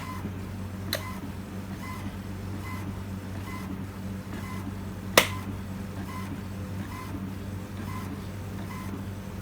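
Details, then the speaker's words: HP Smart Tank 7001 printing on cardstock at best-quality setting after a black ink refill: quiet low hum with soft, even ticks about every second as the carriage passes; printing normally. "I hear it printing. Yes, I do. It's coming out the top."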